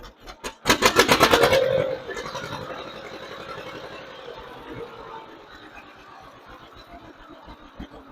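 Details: 1958 John Deere 530 with a rebuilt carburetor, load needle set back to two turns from two and a half and low idle turned up slightly, tuned by ear. After a short blip it settles to an even, quiet putt-putt with no stumbling: normal idle.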